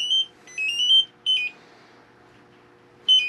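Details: LP gas detector in a Class C RV camper sprayed with propane to prove it works, giving sharp high electronic chirps in short bursts, about three in three seconds, then a pause. It had just been tested after reinstalling the oven in a new butcher block countertop; a propane leak was then found at the connection.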